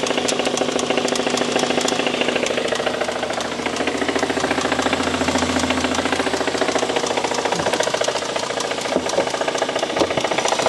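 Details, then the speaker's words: 2016 BMW M135i with stage 2 remap, revved: rough, loose knock through the whole engine at about 3.5 per second; owner suspects rod knock, can't tell top or bottom end. "it just sounds like the whole engine I can't tell if it's the top end or the bottom end I can't tell at all so guys I can't tell what it is the whole engine is making the noise"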